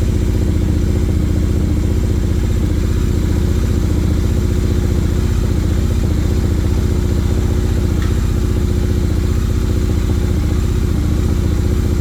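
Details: Motorcycle at steady idle, about two to three even pulses a second with no clatter or misfire, after repairing the kickstand switch wiring and clearing the check engine light with a scanner; healthy idle after repair.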